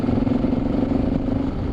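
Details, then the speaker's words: Honda VFR750 motorcycle riding at speed after a recent tyre change, over 100 miles ridden; steady mid-pitched hum pulsing in quick regular beats over engine and road noise; rider unsure if rear or front wheel; wheel noise while riding. "It's a weird noise coming on my bike. Is it the rear wheel? Or is it the front wheel?"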